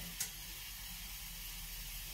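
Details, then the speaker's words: Underfloor heating manifold, day side of five circuits, being flushed and purged; faint steady airy hiss over quiet background as trapped air works through the circuit, air in heating pipes. "Comme ça, au moins, l'eau, elle reste en pression, il n'y a pas d'air. Là, on entend qu'il y a de l'air qui"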